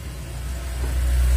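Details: Yamaha Mio M3 scooter whose starter button gave no response, tested by jumpering the single starter cable with the ignition on. A short deep hum swells as the engine catches and settles into a low, even idle; starter circuit working.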